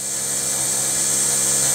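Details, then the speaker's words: Rover 75 CDT diesel after fuel system service, ignition on, not started: steady high-pitched whir from the self-priming electric lift pump. Normal priming noise. "the system is supposed to be self-priming that's whizzing making some wiry noises can you hear that"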